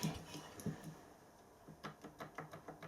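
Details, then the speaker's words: Engine after crosshead modification, running freer and quieter: light quick ticking about six times a second following the stroke; eccentric made too slack a fit knocks, owner plans to look at it. "It's not that horrible knocking noise, but there is a noise on it. It's the eccentric."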